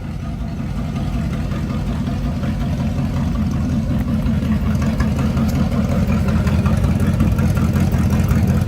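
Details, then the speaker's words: Carbureted Camaro V8 with electric fuel pump, owner asks whether it's cammed: deep, even burble idling at what is believed to be around 700 rpm, steady rhythm with no misses, ticks or knocks; it had some trouble starting but idles normally and healthy. "But that's it idling. I believe like around 700 right now, but it did have some problems starting."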